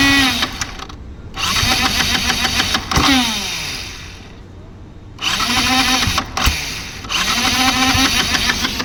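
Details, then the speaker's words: Yamaha MT 15 motorcycle, self-starter motor cranking after battery charged twice: repeated rising-and-falling starter whirring with no firing; cranks but won't start. Owner suspects aftermarket Flipkart-bought part lacks power; cause not confirmed. "நல்ல வேலை இப்ப வந்து self motor ஓடுது. ஆனா engine start ஆகல."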